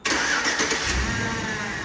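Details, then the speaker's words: 2007 Chevrolet Tahoe started by remote start, settling into idle with a thin, steady high whine from the power steering. Owner hopes a fluid flush will quiet it rather than replacing the pump. "So remote start's working. You can hear the power steering whine though."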